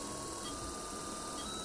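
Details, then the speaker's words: Small DC motor on PWM: a thin, steady high tone over a quiet hum, the audible PWM switching whine typical of this frequency range. "podemos escuchar el tono entonces qué pasa el problema en estos rangos que muchas veces son bastante buenos para lo que dedicamos la parte dinámica y para el driver digamos que tienen esa molestia"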